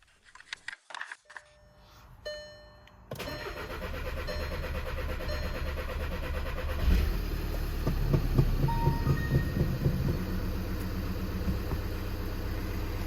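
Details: VW 2.0 TDI CJAA diesel after injector replacement and coding, injector lines bled: chimes and cranking, then catches and settles into steady low idle clatter with no misfire; runs normally.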